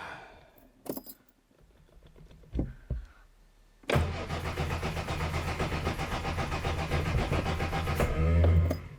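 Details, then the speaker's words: Fox with a suspected poor earth connection and a sooty spark plug suggesting rich running: steady starter churn about two and a half beats a second with no firing at all; cranks but won't start. "not even a sniff this is beyond frustrating"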